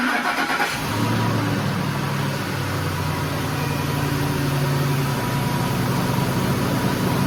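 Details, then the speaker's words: 2007 Ford F-150 5.4L 3V Triton cold start after timing chain, guide, tensioner and cam phaser replacement: cranks and catches within a second, then a steady, even idle with no rattle. Normal cold start. "so it actually sounds really good in person I noticed during editing on that last time I had it running it sounds kind of it sounds like it's got a click into it in the video but here in person it does not"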